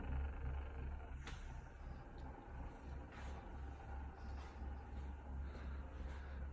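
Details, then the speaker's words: Samsung RH58K inverter refrigerator, a replacement unit delivered the same day, that should be near-silent: heavy pulsing low hum with a rough, uneven drone as the compressor starts. Loud compressor noise, cause not evident. "agora mandar o outro agente ligou hoje o barulho do motor se você abra o cofre para logo em seguida ele começa a fazer barulho"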